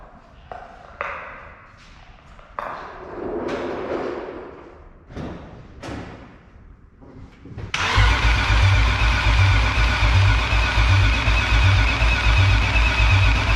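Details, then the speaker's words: BMW E36 first start, a hundred-some-thousand-mile engine, running with no exhaust fitted: the starter cranks in bursts, then it fires into a very loud, deep, blatting idle, too loud to judge engine health. It needs an exhaust. "it's so loud that i can't actually hear how healthy the engine is all i can hear is the exhaust number two it's not driving i mean it literally sounds like a freaking big block like it is it is ungodly loud"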